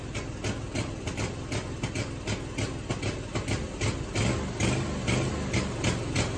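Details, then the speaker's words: Scag Tiger Cat II mower, first start of the year, chugging unevenly with stumbles and surges after start; rough running blamed on weak battery. "I've never had it start like this before. Like it's, I don't know if it's just got to get itself cleared out."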